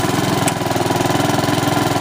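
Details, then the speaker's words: Honda HRX217 mower after repair of the right rear axle support, which was grinding. Running with the drive set to first and the speed raised: steady, even engine beat with a fast regular pulse, no grinding or knocking. Normal running. "so it's working great free to go back to the customer now"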